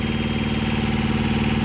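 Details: Truck APU small diesel after oil, fuel and air filter changes: even, steady idle with a smooth regular pulse and no misses or knocks; engine running healthy.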